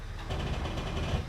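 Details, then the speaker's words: Jeep Wrangler test drive pulling away in four-low: steady low drivetrain rumble, no grinding or clunking; transfer case engages cleanly though 4WD indicator light doesn't come on (possibly burnt out). Earlier attempts to engage four-low sounded bad. "oh yeah that definitely feels like it's in four low and there's no grinding"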